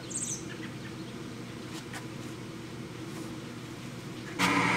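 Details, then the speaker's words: Power vent hot water heater exhaust, heard outdoors at the side-wall 3-inch vent by the porch with a homemade suppressor fitted: only a soft even low hum under birdsong, then a louder blast at the end; far quieter. "what a what a difference can you hear that that is like incredible difference with that suppressor that we put on that hot water heater"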